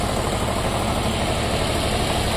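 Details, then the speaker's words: Nissan Versa 3-cylinder, 271,000 km, weak, consuming much fuel, popping: uneven, lumpy, stumbling idle misfire under acceleration. "acelera. tá rateando."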